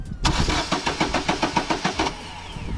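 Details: Vauxhall Astra no-start after a previous garage fitted a cheap part: even starter cranking at about four to five compressions a second for two seconds, never catching; cam sensors tested fine; crank no start from a faulty ignition coil pack.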